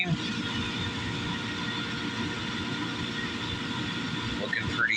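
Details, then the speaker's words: Valiant oil burner on a home furnace after service and bleeding air from the fuel line, reading about 140: steady even roar, constant hum, no puffing or pulsing; burner firing cleanly, normal operation. "It sounds even. Don't sound funny or bloop like it's not running right."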